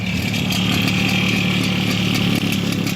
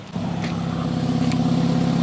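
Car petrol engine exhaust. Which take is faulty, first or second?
first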